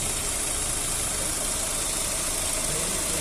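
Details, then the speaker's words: 2009 Astra being diagnosed for an engine noise, warm after the cooling fan cycled, oil pressure good: smooth even idle with a steady hum, no knocking or misses, running like clockwork. "desligou a ventoinha tá vendo e o motor aqui ó aparentemente ó tá um reloginho tá top tá"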